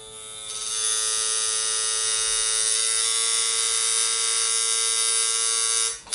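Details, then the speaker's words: Coil tattoo machine running at 3.6 volts while pushing a needle: smooth, steady high buzz holding an even pitch, no stutter or rattle. Well tuned, normal running. "okay so this machine is running at 3.6 see it's still running it's still pushing a needle now it would be good for tattooing as you can hear it"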